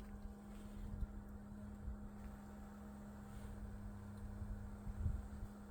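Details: Bison hand water pump shortly after pumping stops and water drains at the freeze line drain hole, mostly in weather below 50°F: a steady low groan with wind buffeting and occasional thumps. The cause is unknown.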